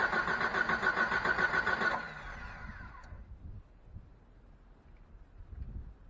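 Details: 1989 Jeep with a 4.2 engine, sitting three years after being run out of gas. Steady, even cranking for about two seconds with no firing. Owner suspects no fuel delivery, possibly a fuel pump with a dried diaphragm.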